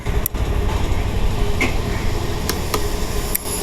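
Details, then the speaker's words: Honda Activa 6G scooter, self-start pressed with brake switch held: a few sharp relay clicks, no cranking; relay and switch work but no signal reaches the starter, ECM output suspected; running-off and self-start problem. "ഇവിടെ ഒരു signal വരുന്നതായിട്ട് നമുക്ക് കാണാൻ പറ്റത്തില്ല പക്ഷെ relay ഇവിടെ tick tick എന്ന് sound കേൾക്കുന്നതായിട്ട് കാണാൻ പറ്റും"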